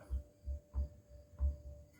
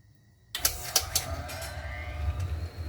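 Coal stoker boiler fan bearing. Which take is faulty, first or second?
first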